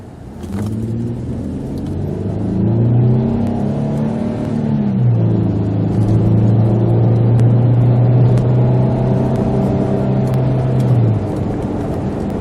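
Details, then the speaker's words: 2001 Infiniti QX4 3.5L V6, test drive after new E3 spark plug install, not floored: engine pulls hard and smooth, drone rising with speed, no misfire, stumble or knock; healthy under load. "Woo! I didn't even floor it, guys. Yeah, I definitely gotta say, them E3s, they do make a difference."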